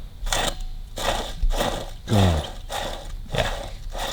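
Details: Kawasaki KH750 gearbox strip-down: gritty rough grinding in bursts about once a second as an old gearbox bearing is spun by hand; the bearing is worn out, new bearings coming.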